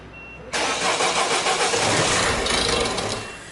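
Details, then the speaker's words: Peugeot 3008 diesel whose engine note changed with knocking on the motorway: cranks, fires within half a second and runs with a harsh rapid clatter over idle; abnormal knock, injectors suspected, unconfirmed. "صاحبها يمشي في الطريق السريع في الاوتوروت، حصل له مشكل، الموتور تغير صوته وفما تقربيع، فما صوت غير عادي."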